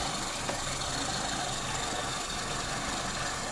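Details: Carburetted car at idle, air filter clean, rpm swinging around 710 on digital gauge: idle drifts up and down, uneven and hunting; carburettor idle mixture out of adjustment, running rich.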